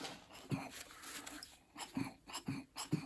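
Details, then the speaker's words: 1968 Chevy C-10 with a 307: the dirty mechanical fuel pump, off the engine, is stroked by hand. Regular soft wheezy pulses about every half second as it pushes air freely; the pump is healthy. "You can hear it pumping."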